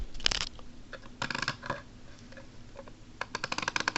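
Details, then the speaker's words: Small rotator gearbox with worm gear: turns fine with no load, but under load sharp rapid clicks in short bursts as loosely attached gears skip teeth; gear teeth skipping. "And but with no load it rotates pretty decently, but when this is on it, it skips sometimes. It skips teeth sometimes because they're loosely attached."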